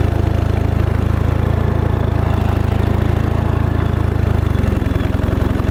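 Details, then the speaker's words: $75 Craigslist riding mower: a fast, uneven low thrum around four pulses a second with a rough edge; the engine runs but sounds wrong, with a burning smell the owner suspects is a belt. "I think we're running. Just doesn't sound right."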